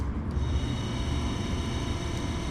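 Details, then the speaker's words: Porsche 924 Turbo wiper motor, cover off and main gear removed, motor tested alone on low speed: steady low whirring hum with an even rumble, no knocks or grinding; spinning smoothly. "Sounds good."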